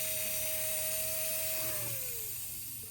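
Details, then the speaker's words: 1954 Lionel 6250 switcher model locomotive, dirty e-unit clicking before cleaning: steady mid-pitched motor hum, then pitch slides down as it coasts to a stop; motor runs normally. "Yes, we have a dirty unit, but we also have a running motor."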